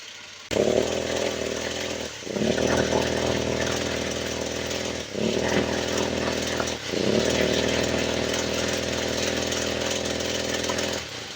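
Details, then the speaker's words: Grass trimmer small engine blipped repeatedly, stumbling with a rough beat and never reaching full revs: a rich mixture (flooding) from the fuel system, diagnosed before carburetor tuning. "แบบนี้คืออาการเร่งไม่ขึ้นเร่งสะดุดสาเหตุของอาการเร่งวอดกับอาการเร่งไม่ขึ้นเร่งสะดุดมันจะเกิดจากระบบน้ำมันนะครับ"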